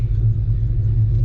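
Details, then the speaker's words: Fox-body Mustang, restarted after a fix for a blower-like squeal from the back of the engine near the bellhousing. Deep, steady idle rumble with no whine or grinding; the squeal is gone and the engine sounds healthy. "good hey the blower noise is gone again"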